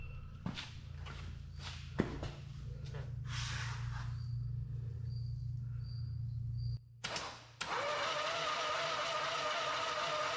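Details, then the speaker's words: Harley V-twin in an off-road trike build, first start attempt after the owner's own engine rebuild with exhaust just fitted. The starter cranks with a steady drone and a few loose pops but never catches. The ignition timing is off, and the valve lash is suspected; cranks but won't start. "Okay, it's obvious we got timing off, so let's do a little research, see what's going on."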